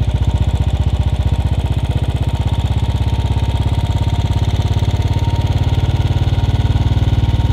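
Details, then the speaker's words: Royal Enfield Bullet 500 Standard, UCE 500 with UCD 33 carburettor: mixture screw turned anticlockwise from lean; steady single-cylinder idle thump firming as RPM rises, tune until sound steadies and tachometer stops climbing. "people who are who have got their tachometer can look at the needle going up in tachometer as soon as the needle stops moving upward they will have to stop uh tuning so now I'm starting to screw you see it is rising"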